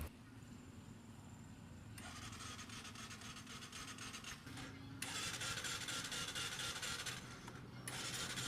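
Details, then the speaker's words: New Bajaj CT125 motorcycle that died on a ride and won't start on electric or kick start: starter whirs in repeated bursts, turning over fast and light but never catching; loss of compression. "Tulad nung kalimitang nangyayari sa CT 125 ang nag-lose compression so kapagka los compression mga boss kahit anong gawin ninyo diyan ah Hindi yan naandar"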